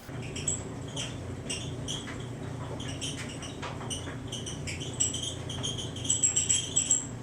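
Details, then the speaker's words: Whirlpool Cabrio WED6200SW1 dryer running: loud high chirping squeaks about once a second over the low hum from the belt tensioner/idler pulley, fixed by replacing the assembly (8547174V). "the problem with the dryer today is that when it runs it squeaks really loudly other than that seems to still work ok"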